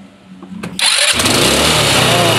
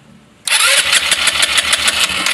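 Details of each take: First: Rusi Flair carbureted GY6-type scooter after repeated cranking lets it draw fuel, following fuel starvation despite a three-bar fuel gauge: cranks briefly, fires and settles into a steady, even idle; normal start and idle. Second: Rusi Flair carbureted scooter, fuel gauge showing three bars: steady fast starter churn with no firing, carburetor dry; no gas reaching the intake manifold, ignition checked fine; cranks but won't start from fuel starvation.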